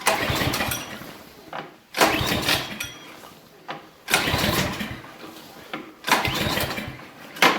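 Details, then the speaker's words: Briggs & Stratton Brute snowblower (Menards), electric start: four bursts of starter cranking that fade out without the engine ever catching or firing; cranks but won't start, pull start also fails, cause not yet confirmed. "today we got this Briggs & Stratton brute snowblower see that it won't start"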